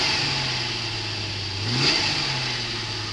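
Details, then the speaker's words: 2003 Jeep TJ with brand-new fuel pump, fuel pressure gauge connected for regulator test: smooth steady idle with one quick rev climbing and dropping evenly, no stumble or surge; under load fuel pressure barely blipped, healthy engine. "put some load on the engine the fuel pressure didn't even fluctuate at all maybe just a quick blip everything is operating as it should"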